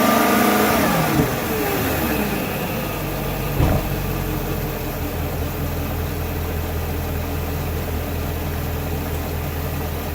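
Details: BMW E39 540i with M62TU B44 V8: engine drops from a rev to idle with a thin squeal from the belt pulley drive.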